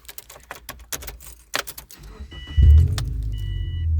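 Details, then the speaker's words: Used 2005 Subaru Forester, former clammer's commuter car, at startup: key clicks, cranks, catches and settles into a fairly loud heavy idle; owner notes it's a little loud, cause unclear; it squealed when first bought. "you can hear, yeah, a little loud. But, you know, we'll get to it when we get to it."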